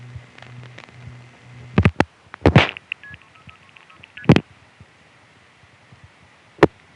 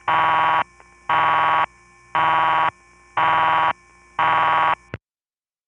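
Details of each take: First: Kings Tandem call to Manhattan (DigB4) during the March 1975 fire outage with no direct trunk available: trunk-seizure clunks, then quick paired MF pulsing as the call routes via a non-sector ESS tandem (probably Williamsburg) instead of Gotham Tandem. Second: A night call in 1975-77 from the Riverside 9/850 No. 1 crossbar office in Manhattan, through Suburban Tandem: clean buzzing bursts about one a second with quiet gaps, as the tandem pulses normally to the Gedney 6 panel office.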